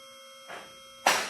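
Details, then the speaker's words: Advantage Lifts car lift on its first run to the top after installation, before adjustment: motor-pump hum with safety locks clicking unsynchronized, about half a second apart. "At this point, we have not adjusted them, so they're not clicking all at the same time. We'll do that in just a minute."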